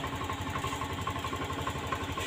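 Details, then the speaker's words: Honda Scoopy scooter that smokes white and uses oil: idle sags unevenly and the engine suddenly dies when revs drop; suspected fuel pump area; CVT also makes a cracking noise. "yang RPM 60 putus ngedown tiba-tiba mati itu di bagian fuel pump sini ya"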